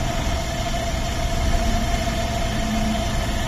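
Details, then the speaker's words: 2007 Skoda Octavia Tour 1.6 petrol, 102 hp, idling: steady, even low hum with no knocks or misses; engine runs sensibly and normally. "Értelmesen, normálisan jár, többet nem tudok róla megmondani."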